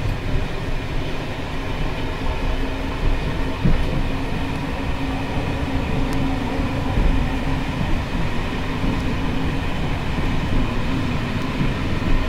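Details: Bd264 coach (built 1979), Görlitz V bogies with high mileage since last major overhaul, evening express on uneven line 190 near Hluboká nad Vltavou: heavy low rumble with loose rattling clatter as brake rigging bounces; worn bogie, noisy brake rigging.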